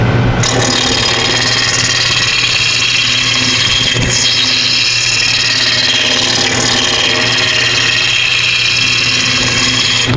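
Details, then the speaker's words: Wood lathe spindle turning with a spring spur center, roughing the blank: steady hissing cut with a low spindle hum and a few sharp catches; cutting evenly and nearly round, one small flat spot felt by touch. "Well, how do you know when you're done? Well, you can kind of hear it and you can kind of feel it, but you can also touch it and you can feel that there's a little bit of flat spot right there."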